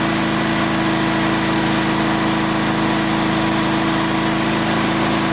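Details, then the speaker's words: Old Onan small engine after new points and condenser, half throttle: steady even hum with constant tone, no misses, no arcing at the points; normal running, carburetor still needs fine-tuning. "fire it up fire it up fire it up shut up look no arcing at all"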